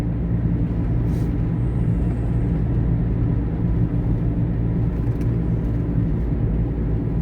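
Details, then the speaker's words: Taxi at cruising speed. Constant low throbbing drone at steady pitch under road rumble, like a propeller plane in a movie. "Oh, you must hear that. It sounds just like the sound effect for a propeller plane in a movie."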